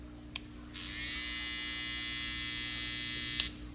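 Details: Brand-new Babyliss FX trimmer, for comparison with a repaired one: clean, steady high-pitched buzz about three seconds, no rattle or wavering; healthy normal running.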